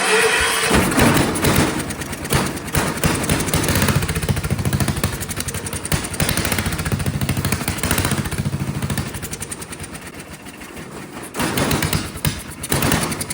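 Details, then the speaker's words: Vintage Kohler generator, first start after filling the float bowl with the choke held shut: single-cylinder runs violently with speed surging up and down; owner suspects dirty carburetor jets or poor fuel delivery. "Okay, so it probably still has carburetor problems because it's surging. But it ran. Boy, ran quite violently."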